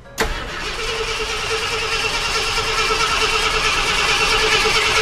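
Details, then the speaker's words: Abandoned Ford F100, carbureted, sitting a long time with old fuel, cranked in park off a jump box: the starter spins the engine evenly at about three beats a second but it never fires; crank no-start, fuel delivery suspected. "Well, that's a good sign. So it cranks over."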